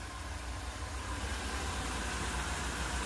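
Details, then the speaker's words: 1999 454 V8, new starter fitted, timing slightly off: steady low rumble with an even beat and no knocks or misses. Big V8 idles smoothly, and the starter is confirmed disengaged and good. "Alright, it's not engaged. That's good. The starter's good. This baby purrs."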